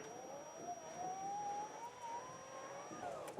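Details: RollUpDoor by Smart Garage GDO-06 opener while setting the upper limit: quiet motor hum rising smoothly in pitch as the door travels up, no grinding; normal operation.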